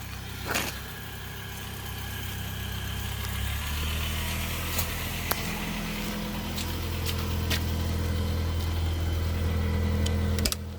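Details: 1991 Ford Mustang LX four-cylinder automatic, 173,000 km, unmodified: low steady idle with slightly uneven pulse and faint shake underneath, though described as running great; rough idle, possibly an EGR valve problem.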